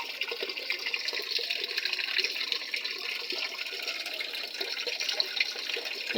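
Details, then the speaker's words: Panasonic 7 kg top-load automatic washer after control board repair, set to middle water level: steady rush and splash of water pouring into the tub, even and uninterrupted; fills normally. "medyo mataas lang ng konti yung tubig niya. Pero titigil na yan kapag naabot na yung water level na middle o medium."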